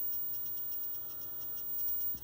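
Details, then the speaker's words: 1963 Montgomery Wards Airline Imperial WG-5974A console TV, horizontal output cathode reconnected and oscillator starting: faint steady very high flyback whistle over quiet hiss, high voltage about 15.4–15.75 kV; normal horizontal stage operation. "i can hear the high voltage we're at 15 4 right now let's see if we can tweak it out a little bit"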